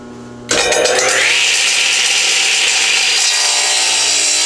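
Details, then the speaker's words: Delta 12 in 33-892 radial arm saw with a negative-hook-angle blade crosscutting a board held to the fence and supported at both ends, arm not stiffened. The blade bites in with a steady high whine, no grabbing or chatter; a smooth, normal crosscut. "And you may have noticed that I did not stiff arm the cut. In other words, I didn't have my arm extended out quite as tightly as I probably should have."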